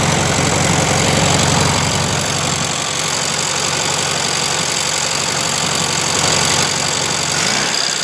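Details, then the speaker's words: 1971 VW Super Beetle air-cooled flat-four after valve adjustment (all were too tight) and repeated carburettor cleaning; even settled idle with fan hiss, no stumbling; owner thinks debris was inside the small jet by the 60 idle jet. "I cleaned the carburetor, and we took it apart like 5 times. And I think there was something actually inside that little tiny jet by the idle jet. And it seems to be working."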